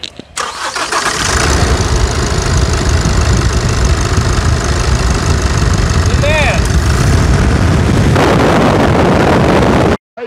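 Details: 2018 Chevrolet S10, started after timing belt replacement: cranks and catches quickly, then settles into a loud, steady, even clatter with no misses; a clean, healthy start.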